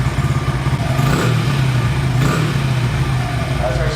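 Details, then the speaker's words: 2011 Honda CRF100 that would not idle, warm, after air screw adjustment (extra half turn): low steady idle that holds without hunting, surging or dying; mixture now right. "That air screw setting is really important. Things are a little cold blooded, too. It's got to be warm to properly properly adjust."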